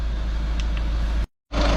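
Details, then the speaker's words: VW 1.6 CAY diesel van at idle after replacing the cylinder 1 injector (code P0201) and clearing codes: a steady, even clatter with a brief cut, now running normally on all four cylinders. "there we go that is the van all back up and running out on all four cylinders like a little single sewing machine"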